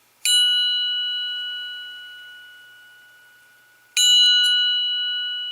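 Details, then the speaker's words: Tap (ring) test on an aftermarket VW steel chromoly cam gear: two sharp taps, each with a clear high ring fading slowly, showing sound hard steel gear; the crank-side gear is cast by contrast. "right that is a true steel chromoly cambiar now the crank side of that listeners listen to this"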